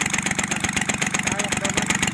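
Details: Kubota L1-255 small diesel idling with fast, hard, rhythmic knocking that stays steady, plus white smoke; the cylinder head fault is the cause, and the fix is to replace the cylinder head.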